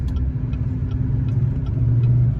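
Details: Duramax diesel truck on a long highway trip: deep rumble wavering up and down with light ticking as idle surges and revs hunt; knocking on throttle, no engine codes found, cause not yet clear.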